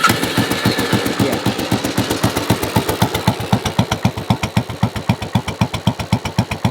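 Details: Royal Enfield Bullet 500, about 7,600–7,700 miles, slightly warm: slow, heavy single-cylinder thumps with a lumpy idle through a very loud aftermarket exhaust. Aftermarket carburetor and exhaust are due to go back to original; it doesn't run right or accelerate smoothly.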